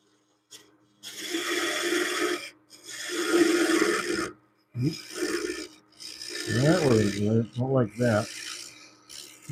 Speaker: Sounds like there's a little ripping going on the wood. I want to make sure it's shearing off nicely.